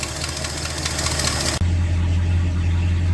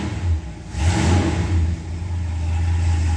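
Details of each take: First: 1968 Ford XL convertible V8, cold idle after about three years stored: rapid puffing tick about four per second following engine speed, a ridiculous exhaust leak from a warped exhaust manifold on one side. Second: 1968 Ford XL convertible V8 after replacing warped exhaust manifold to cure exhaust leak: deep steady rumble swelling with revs then settling smooth, no ticking or puffing, no leaks; normal running.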